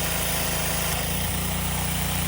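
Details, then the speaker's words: Subaru EA190V pressure washer after carburetor replacement, switched to a higher-pressure nozzle tip: the small single-cylinder engine holds a steady, even drone under pump load with no surging. It builds pressure and runs normally. "so that seems to have done the trick I switched it to a higher pressure nozzle tip and the pressure seems to be built and it's washing"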